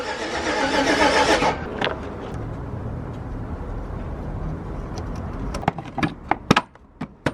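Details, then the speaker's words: Yukon with fuel disconnected, cranked to build oil pressure after reassembly; labored, dragging crank for about 1.5 seconds, then stops with a few clicks; battery going low slows the starter. "yeah build oil pressure just the battery's going low that's why it sounds like"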